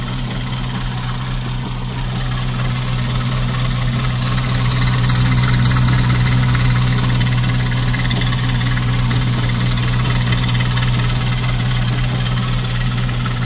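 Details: VW 2.5 engine idling: deep uneven lumpy idle with wavering rhythm, knocking or banging, oddly changing when the oil cap is removed and debris found inside; rough running, cause not found.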